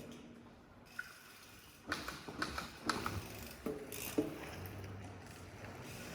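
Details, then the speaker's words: RockShox ZEB Ultimate 29in 170mm fork on a 2021 Commencal Meta AM, after only 2 rides, bolts checked tight and brakes ruled out; loud, squeaky creaks come in bursts each time the fork is compressed, cause not yet found. "and then you can hear a creek very loud creek i heard that on frogs forks before and that's why i'm on rockshox to avoid creeks but thing seems to happen here"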